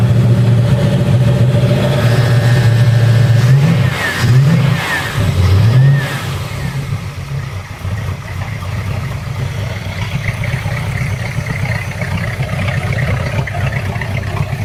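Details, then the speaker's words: Boat engine after exhaust ports repair, the previous day's noise now gone: starts and revs up and down cleanly with steady low note, no ticking or puffing, oil pressure rising; normal running. "And oh, and also you'll notice, or you may not notice, which is a good thing, there's no more of that noise that we had yesterday that alerted me to the issue with the exhaust ports."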